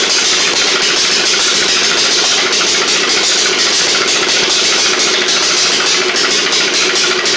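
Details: 1991 Noma-made Eagle Star rider with replacement old 11 hp engine swapped in for a knocking 12 hp Briggs, after flooding cleared: even, steady single-cylinder putter with quick regular beat, no knocking or missing; runs smoothly.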